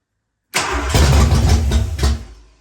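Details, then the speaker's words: Ford 302 V8 in a Fox-body Mustang, first start after new cam, freshened top end and temporarily wired MSD ignition, spark confirmed, small splash of old gas: catches on cranking, rumbles unevenly about 1.5 seconds, then dies starved of fuel. "Wow. Fired right up. Wants to, at least. That was a little too much."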